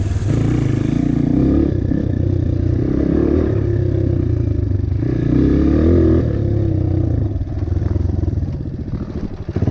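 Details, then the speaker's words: 2005 Honda CRF230F after swapping a failing aftermarket ProCom CDI back to stock to cure bogging under load: single-cylinder thumps steadily and picks up cleanly on two brief revs, no stumble, slightly less low-end torque. "to be running fine now only problem is I don't have quite as much low end torque and snap"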